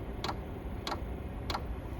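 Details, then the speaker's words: Diesel heater, possibly 2–5 kW, dosing pump at its lowest 1.6 Hz setting (max 5 Hz): crisp, even ticks about 1.6 per second over a low hum; the pump is pulsing normally. "and now you hear the pump clicking so when I'm inside the basement I don't hear the clicking at all and it doesn't really bother me"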